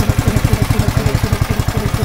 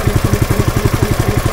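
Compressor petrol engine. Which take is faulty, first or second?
first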